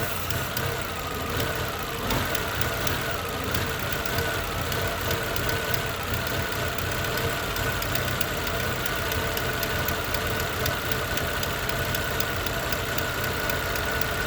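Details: Chevrolet Utility 1.4 petrol engine that had been jerking and idling rough, now idling with a steady hum, a faint wavering tone settling to an even note, after a leaking, hissing vacuum hose was found as the cause.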